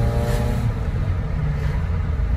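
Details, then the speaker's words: Old Fiat 127 with automatic choke, smelling of fuel, exhaust rotted halfway through; deep rough low rumble when blipped with loose raspy edge; exhaust leak from rotted exhaust. "Da možemo još miris. Pola prospana uspuh."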